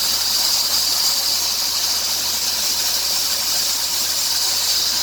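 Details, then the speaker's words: 2003 Dodge Grand Caravan 3.3 with 372,528 miles, accelerating: a shrill steady squeal over a hiss at the front of the engine, louder near 2000 rpm, which stops when the belt is sprayed. The idler pulley, tensioner pulley and power steering pump are already replaced; the owner suspects the drive belt. "2003 dodge grand caravan 3.3 makes a hissing and chirping noise on engine acceleration"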